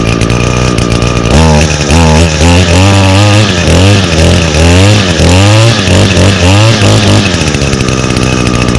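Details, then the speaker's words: 2019 Echo SRM225 trimmer with i30 recoil starter: high buzzy rev climbing and dropping cleanly with each throttle blip, no bogging or sputter; runs healthy. "and now this unit does come equipped with um echo's i30 recoil starter so it requires 30 percent less effort to hold the engine over as i will demonstrate now look at"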